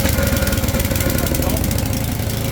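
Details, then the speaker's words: Bob Andrews Lawn Doctor scarifier with Tecumseh single-cylinder engine, throttle at maximum with choke on, starts in 2–3 pulls and settles into a steady, even chuffing idle; healthy running, same as when purchased. "That is that's exactly what it did when I purchased it. It started that easily. I think it was 2 or 3 pulls and it started."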